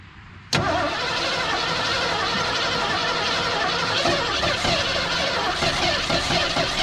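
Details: Seized old Ford engine, freshly unstuck after soaking cylinders three days in two-stroke gas and PB Blaster, first run on new battery: abrupt start settling into ragged, uneven idle with stumbles and misses; rough running, cause not pinned down.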